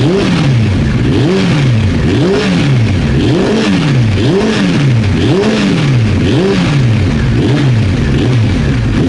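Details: Old Honda CBR900 Fireblade, fuel tap off, trying to reproduce reported backfiring: pulls cleanly through repeated rev rises and falls about once a second, no misfire or stumble; running normally.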